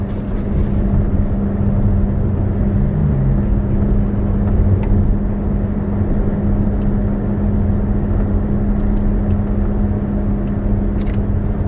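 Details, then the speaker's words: 2011 Chevy Volt driving through a left-hand turn: a steady buzzing hum from the front that disappears when the wheel straightens; suspected worn front wheel bearing, side unknown. "okay i don't know if you guys noticed that when we were going around the turn you could hear the buzzing type noise and then when the wheel straightened back out it disappeared"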